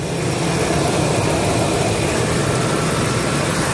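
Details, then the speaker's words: Ford Expedition 4.6L V8 after replacing ignition coils to cure cruising misfire/RPM jerking: steady, even, smooth idle burble with no stumble, noticeably better than before. "finally rain is over and the engine is running really smoothly even at idle I've noticed a difference"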